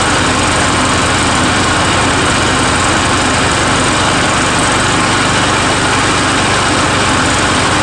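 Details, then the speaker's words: Murray 17.5hp riding mower with 42-inch deck after new Stens 265-031 deck belt and deck install, gas leaking at the side: steady, even single-cylinder drone with blades under load, no surging or misses; PTO clutch slightly sticky, mows well, normal running. "so all right a little sticky there on the pto clutch so other than that you know hey it's uh it mows well now noise i think it's a win-win"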